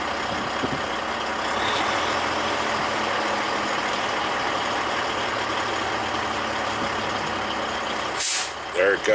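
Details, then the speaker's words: Heavy-duty truck with intermittent no-accelerate, shift grinding and transmission low air supply warning: diesel idling steadily as air builds past 90 psi, then sharp loud hiss as the pop-off valve vents; normal air system relief. "way forward to you hear the pop off valve go i don't know if you can hear from in here"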